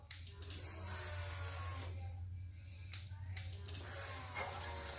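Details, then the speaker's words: Electric fuel pump on a boosted crosskart priming at key-on after installing a custom fuel system with fuel filter: low steady buzz under brief hissy bursts, no rattle or stutter, fuel then streams back into the tank; normal priming. "go ahead and turn the key on see right here and tell me if that gets any pressure oh yeah i hear it yeah"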